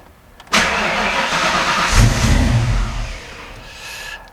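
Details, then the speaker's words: 1993 Ford Mustang Foxbody with new throttle body on Holley Terminator X EFI, just after TPS relearn, idle air control not yet tuned: catches after short crank, revs briefly, then sags and dies; won't hold idle until throttle opened slightly. "Yeah, I don't think it's weighing idle. Okay, let me actually give it a little bit just a little bit of gas here just to open up that throttle blade just a hair."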